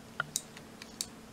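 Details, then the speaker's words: Three crisp clicks from a cam-actuated micro switch in a single-key test rig for a 3D-printed Enigma machine keyboard as the key is pressed and released; the switch works cleanly. "And this black piece in here is the cam that actuates the micro switch. So as you press down on a key, you should be able to hear it clicking."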